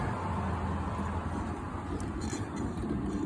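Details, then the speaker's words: 2004 Toyota Tacoma on stands, rear wheel spinning freely: low steady droning rumble with no clicks, pointing to a damaged wheel bearing, suspected and not confirmed; the owner previously replaced the bearing on the other side. "es el resultado de un balero dañado cuando vas en la carretera como si fuese una pelota que le hace"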